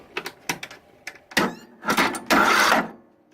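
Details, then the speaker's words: Briggs and Stratton 540cc 21HP engine, spark plug in, valves set to 0.004 in: short starter whirs cut off abruptly after about half a second with clicks between; won't turn past one rotation, though it spins freely with plug out. "it it won't do anything more beyond that I can turn it manually and it'll do another full rotation but it won't go beyond that so I don't know what the deal is with it"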